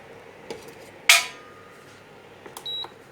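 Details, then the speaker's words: Induction cooker with the earlier plate put back on: short sharp beep then brief steady tone in a quiet room; it will not switch on and shows an error code; no-pan detected beep. "ඔන්න ඒක on වෙන්නේ නැහැ එරා code එකක් එනවා"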